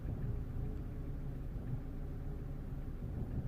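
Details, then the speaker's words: 2011 Vauxhall Corsa D 1.4 petrol, slow to start, spanner light on, code P0223, idles with a low uneven stumbling rumble near stalling, then shuts down; runs better when revved; cause not yet found. "all right nearly so the revs the engine is running really badly let me see if i can open the bonnet and show you and he's just shut down"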